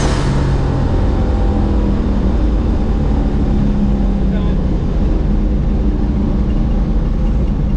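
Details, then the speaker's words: Boosted truck with 4L80 transmission cruising in overdrive with lockup at about 45 mph and 1600 rpm, around 18 psi boost: steady even engine drone under road and wind roar, no hiccups or misses, normal cruise. "We're probably doing like 45 or about 1600. Yeah. Sounds like it cruises pretty good. I don't hear it hiccuping and driving like shit like they normally do."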